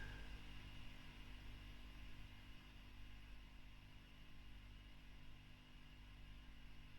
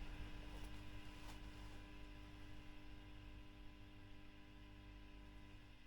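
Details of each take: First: Fender Bassman '59 reissue (2008, 4x10) after a tube was replaced with a Mullard: low steady mains hum with faint hiss, no crackle or popping; running much nicer, quiet healthy idle. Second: Fender Bassman '59 reissue (2008, 4x10) during service, after swapping the V1 preamp tube for a Mullard: low steady hum with faint buzz from nearby lights, dropping much quieter when screened by hand.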